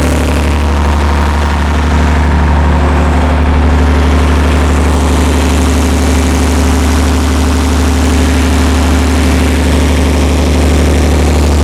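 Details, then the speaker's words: Perkins 354-series diesel on a 45 kW Empire generator, just started cold after injection pump reinstall: settles to a steady even low idle at about 50 Hz, no misses or knocks; making voltage, oil pressure fine, normal idle. "we're running a bit slow that's fine down around well just about 50 hertz we'll give it a second get a little bit of heat in it"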